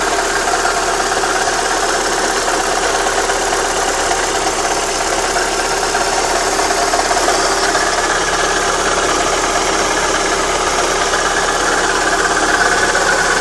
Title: Astra G 1.6 16V Motorgeräusche